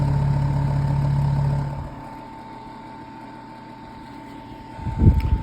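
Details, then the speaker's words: Vintage 7-inch Zero desk fan model 1250R: loud buzzy low rattle while on the table drops away sharply when lifted; rattle is the table vibrating from the fan, not the fan. "Now all that rattling that you guys are hearing is the table. It's not the fan, it's the table. I can kind of hear the vibration movements on the table."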